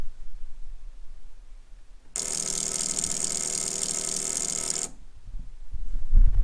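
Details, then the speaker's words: Turbo Ford with a newly fitted Mac valve boost control solenoid (8 psi spring, open loop) being bench-tested: a fast, steady electric buzz holds for about three seconds, then stops cleanly; normal solenoid operation. "right there's the solenoid listen closely it works um right it works so if I press pulse in theory it should pulse it at 50% duty"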